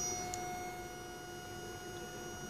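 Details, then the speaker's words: DC motor driven by an LM324 op-amp PWM circuit at low duty cycle: steady high-pitched whine with ringing overtones and no rotation; PWM is reaching the motor but power is too low to turn it until the control voltage rises. Stalled PWM whine. "maternal is giving sound it means the pwm is already injected to the motor and the power is just not enough to rotate the motor"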